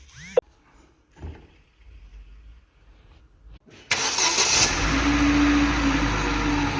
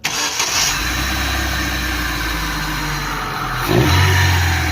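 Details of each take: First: Daewoo Nexia with a suspected alternator bearing noise, run with the alternator belt removed: quiet until about four seconds, then it catches and holds a steady, even idle with no whine, rumble or bearing growl. Normal idle. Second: Daewoo/Chevrolet Nexia with a suspected alternator bearing noise: with the alternator belt removed the engine runs steady and even with no whine or rumble, confirming the noise comes from the alternator, which vibrates and was later found falling apart.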